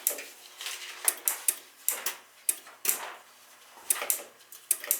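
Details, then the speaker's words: Dunkirk high-efficiency floor-standing gas boiler: sharp, uneven relay clicks about once a second, switching on and off with no burner firing, even with the thermostat disconnected; water present, likely a bad control board. "this connector is still clicking back and forth nothing's still operating on and off on and off"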